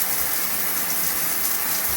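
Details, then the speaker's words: Triton electric shower after fixing an internal leak, shower head resealed: steady hissing rush of water with no spitting or dripping breaks; smooth, even, free flow. "And we have water. All nicely free flowing."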